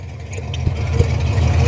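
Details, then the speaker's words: 1964 Ford F250 4x4 after exhaust repair with new collector gaskets: deep, even exhaust rumble at idle with no puffing or ticking leaks, exhaust now exiting the tailpipe; healthy sealed idle. "I like it I like it sounds good all right success"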